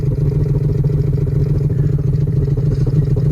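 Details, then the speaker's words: VT Commodore V6 on first start-up after revival: deep, uneven, lumpy idle with a stumbling beat; owner suspects blocked mufflers or exhaust, not confirmed. "I think the exhaust is [ __ ] though by the sounds of that. Look at it. Now it's having a hard time."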